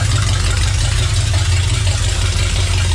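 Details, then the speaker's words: Rat rod freshly rewired with rebuilt transmission just installed, fired up after fuel pressure adjusted to about 6–7: pretty loud, steady even low rumble, no knocks, misses or surging; normal smooth idle. "Tree rod's running, guys. It's pretty loud. Pretty awesome. It's all rewired. It's all working good."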